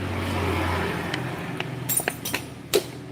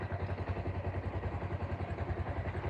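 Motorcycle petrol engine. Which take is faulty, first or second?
first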